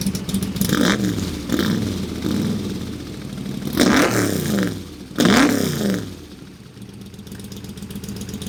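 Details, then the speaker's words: AC Cobra kit car, all-aluminum side-oiler 427 FE V8 with dual Holley 600 carbs flooding it with fuel: lumpy, uneven idle with dropped beats, as if on six cylinders, cleaning up when revved; loading up rich at idle. "yeah it's like it's idling on like six cylinders yeah and then when you you give it the suds then you can hear a leak come up"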